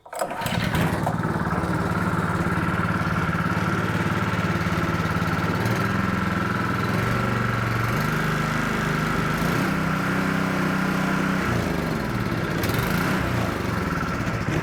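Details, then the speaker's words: Honda GX200 after carburettor rework: catches after a short crank, then runs on full choke with a lumpy, wandering beat that won't settle to a clean idle; only runs on full choke, fuel delivery issue suspected. "Full choke and that's the only way it'll run. So, we still have a fuel delivery issue."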